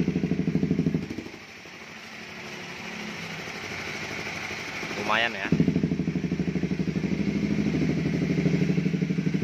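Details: Honda CB150R after three engine teardowns, previously rough-sounding; small single thumps along at idle with an even, steady pulse, no knocking or rattle; now sounds much better, healthy idle.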